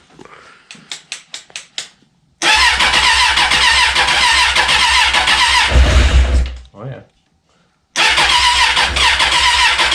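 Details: 2004 Suzuki Katana, sitting over a year, first start on a temporary fuel tank: a few starter cranks, then fires into a strong, steady run, drops briefly and recovers evenly; runs, later oil leak at oil cooler fitting.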